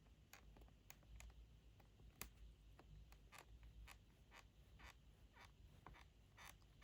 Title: macbook pro 16 m2 squeaking sound from bottom panel when I press it gently